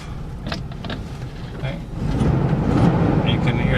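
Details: Toyota FJ60 idling with the air on, steady even low rumble with no knocks or stumbles, picking up slightly as it pulls away slowly on dirt; normal idle.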